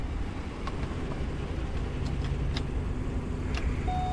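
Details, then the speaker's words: BMW E39 530i parts car being jump-started: steady low cranking rumble for several seconds that never catches; it sounds like low compression, with five fuel-related misfire codes, owner suspects no fuel. "it also sounds very low compression when it's cranking we tried jumping it g"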